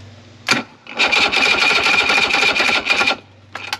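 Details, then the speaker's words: 70HP two-stroke Mercury three-cylinder outboard on a 1967 Duo boat, not starting from fuel starvation though all cylinders spark: labored, uneven whining cranking for two seconds then stops as battery dies; corroded terminals possibly also blamed. "and the batteries goes dead perfect could also be because the uh terminals are kind of corroded"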